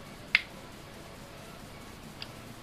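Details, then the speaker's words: Lakoni Basic 123iX inverter welder after repair with two replacement 330µF capacitors: sharp relay click at switch-on then faint tick over quiet hiss, relay pulling in normally; 200 V DC measured. "Oke, relay sudah hidup."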